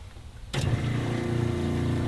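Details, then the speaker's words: Drifta DOT WUHT camper water system, 12-volt pump switched on via the TVMS after priming, filling the front tank: steady low hum starts abruptly and holds even without surging; pump running normally. "in there we're now filling all right you can hear the pump running by switching that were directing the water down here I'm actually now filling that front tank"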